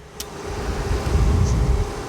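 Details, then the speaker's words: 5.2 Dolby Digital remote kit amplifier after rebuild, microphone at the amplifier: steady low whoosh with faint even tone from its cooling fan, not from the speakers; normal fan noise, humming issue fixed. "ఇప్పుడు మీకు వీడియోలో వచ్చే noise వచ్చేసి fan అనమాట. అంటే మీకు fan sound వస్తుంది, అది స్పీకర్లో రావట్లేదు, యాంప్లిఫైర్లో వస్తుంది."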